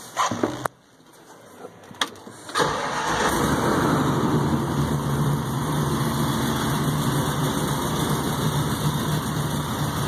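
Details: 1951 Chevrolet 3100 street rod pickup on Art Morrison GT chassis, supercharged LSA crate V8, about 1,200 miles: quick crank, catch, deep steady burble settling into smooth even idle; healthy start.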